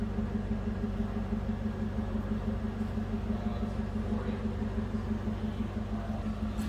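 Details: 2006 Cadillac XLR-V with no warning lights, heard from behind the car: a deep, steady, even V8 burble at idle with no misses or ticks; healthy normal idle.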